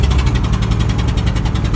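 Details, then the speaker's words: 1999 Ford F250 Triton V10 with aluminum heads, while driving: loud rhythmic chuffing puffs like a pack of Harleys over a deep engine note; a spark plug has blown out of the head. "hopefully you can hear that I sound like a pack of Harley's coming in driving to work today"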